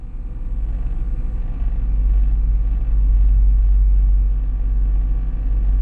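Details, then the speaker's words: 2002 Cadillac Escalade with engine running after replacing the cabin air sensor behind the A-pillar: only low steady engine rumble, the former buzzing from the dash is gone; fixed. "I don't hear it that was a beautiful thing silence"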